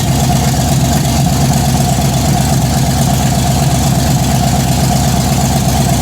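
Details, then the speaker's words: Blazer build first start, aggressive cam, headers, fuel pressure 50 psi of 58 needed: loud, choppy low idle with uneven loping beat about two per second, heavy shaking; normal cammed sound. "Jeez, that's loud. Why is it shaking so much? It's cammed, babe."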